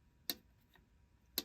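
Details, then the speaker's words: Antique gas-filled-bellows heat regulator after teardown, contact cleaning and restoration: two crisp, clean clicks about a second apart as contacts snap over quickly. Normal contact clicking. "This is a gas-filled bellows. It was filled with a gas that it was very quick to respond, and you saw how quickly it responded."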